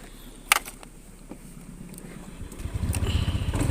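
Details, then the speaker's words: Honda Scoopy after servicing for hesitation at 2000–5000 rpm and cold-morning stumbling: after handling clatter, a light steady putter holds without stumbling; idle better than before service; normal idle. "langsamnya untuk langsamnya itu berbeda dengan awal Ya langsamnya sudah bagus ini Tinggal test drive"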